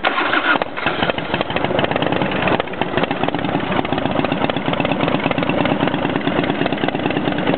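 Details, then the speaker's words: Motorcycle first start after rebuild, cold, on choke: catches and settles into a steady, even rapid beat with no knocks or misses and no oil leaks; healthy cold idle. "it sounds pretty good yeah we don't have any oil or anything rning out so that's a good sign still a little cold"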